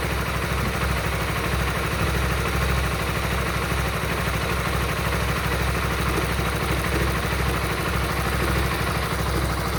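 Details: Honda Supra GTR 150: steady single-cylinder idle with a fast, uneven ticking clatter of about two or three a second over the beat; abnormal engine noise at idle, cause unclear.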